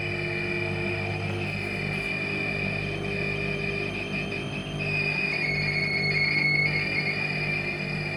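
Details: Two-month-old Midea 10.5kg washer-dryer while drying clothes: a steady high-pitched squeal over a low hum that shifts pitch midway. The squeak is also present when the drum is not rotating, so it is apparently not from drum rotation.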